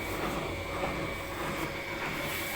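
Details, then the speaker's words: Siemens washing machine on its highest 1400 rpm spin, not serviced: steady, even rushing whir after draining, suspended drum moving but machine stable, no knocking or banging; healthy high-speed spin. "it's raining us as you can see now the drum is protecting it's about to pick speed place not all the washing machines the drums are always suspended forward that vibration the drums are also suspended that's why you can see the drum schedule but the machine is stable"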